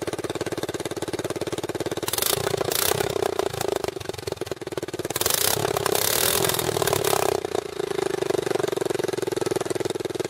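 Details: Racing four-wheeler single-cylinder engine through straight galvanized-pipe exhaust, water drained from tank, small fuel leak needing new O-ring: loud choppy beat with throttle blips, picks up cleanly and keeps running; normal running.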